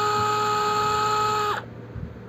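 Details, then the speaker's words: DeWalt DCF682N1 gyroscopic screwdriver, on/off trigger with speed set by tilting the tool (slight tilt low rpm, further tilt faster): high thin motor whine holds steady then cuts off sharply, clean and even with no grinding; normal variable-speed running. "jadi kalau kita ke kananya sedikit Iya dia putarnya rpm nya rendah semakin ke kanan semakin cepat"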